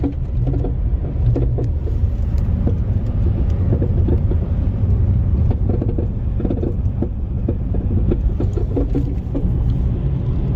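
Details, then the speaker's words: Chevy Sonic (2012+) front suspension over a rough test road: light, sharp, high-pitched clicks over road rumble on bumps, worse on the right side; not a deep ball-joint thunk, mechanic 99% suspects worn sway bar links. "This is not a bolt joint sound for sure, because a bolt joint sound would be like a thunk, like a deep sound, and this is like a little high pitch."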